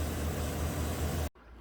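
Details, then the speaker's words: 2017 Chevy Silverado 2500 HD 6.0 V8 (P0300/P0302) after fitting used spark plug in cylinder 2 and cleaning carbon-tracked boot: deep even idle rumble, no skips; no longer misfiring, normal idle. "And you can see it's not misfiring on number 2 anymore."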